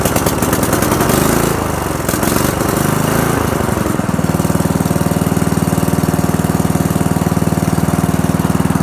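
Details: Old Murray riding mower, cold start: small single-cylinder engine catches after some rough firing, then settles into an even steady idle with a regular beat; runs, rides and cuts well.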